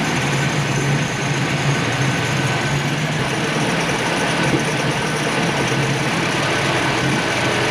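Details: 1965 Mustang straight-six with a stalling issue; battery good and alternator charging, idle tweaked and now better; a ragged, uneven idle beat under a busy mechanical clatter that never settles. Owner suspects a vacuum leak, but none found yet.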